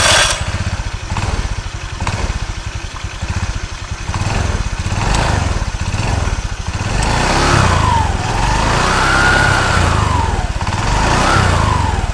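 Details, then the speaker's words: Automatic scooter with CVT cover removed, engine revving: loose rattle about four per second as throttle opens, the centre shaft wobbling and off-centre; worn CVT cover bearing bushing causing the noise. "untuk as yang paling tengah ini ya pas begitu di gas yang paling terkenal ini agak bergoyang ya bergoyang ke agak apa koplak"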